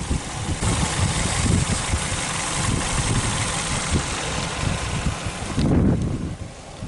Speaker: it looks like we're doing pretty good on oil. Engine sounds healthy.